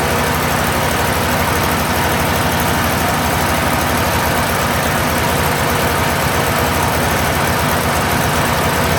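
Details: Steiner 230 tractor with Kubota gas engine, after restart: steady, even engine beat holding constant speed with no stumble or miss; it had stalled earlier, owner suspects air in the fuel line; normal running.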